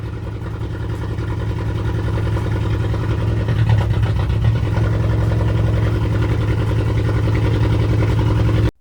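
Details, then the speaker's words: 2010 VW GTI 2-door turbo engine, rebuilt after timing chain tensioner failure, first start: catches into an uneven, lumpy, loping idle with one cylinder not pulling, found to be an unplugged injector; misfire. "After the fact, we figured out the cylinder tube injector wasn't plugged in. So, we plugged it in and started it back up."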